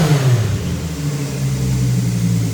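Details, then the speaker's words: Nissan Z with new titanium exhaust, resonator/muffler piece not fitted: deep smooth exhaust note climbing cleanly through a free rev, no misses, knocks or rattles; normal revving. "Not bad. I like it. And that's without the muffler piece in there, the resonator car."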